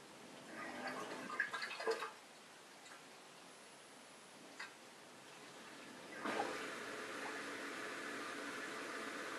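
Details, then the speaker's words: Bosch SHE4AP02UC/06 dishwasher, repeat test with water in the sump: after a splashy drain the drain pump keeps running with a steady airy slurping hiss once the sump is empty; the fault is that it starts and stops without pumping out all the water between cycles. "so here's a third time just to prove that this is repeatable as soon as it makes it through 250 mils of water you hear the pump running continuously as it's sucking here"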